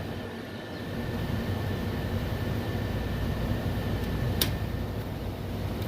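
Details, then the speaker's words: Noisy make-up air unit fired up on complaint; steady metallic scraping hiss with thin high constant squeal over fan rumble, sounding like rusted old disc brakes, something rubbing, cause not yet found. "yeah sounds like some rusted out old disc brakes"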